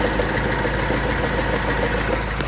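A steady light knock ticking along with the idle, clear of valve clatter; something is knocking inside the engine, cause unknown.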